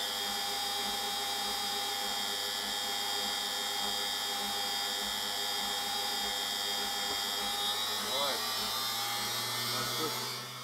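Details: Brush-type washing machine motor test-run after fixing its rear speed-encoder magnet ring (heat-damaged by bearing failure, kept falling off), rebuilt with new bearing, aluminium piece and non-magnetic stainless bolt: smooth steady whine at constant pitch, no scraping or knocking, winding down at the end; healthy.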